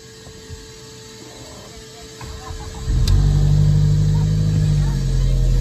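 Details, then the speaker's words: Audi A4 1.8 turbo crank-no-start with no spark despite new coils and plugs, fixed via corroded coil relay: after brief cranking it catches at once and settles to a steady, even idle; normal start. "started right up"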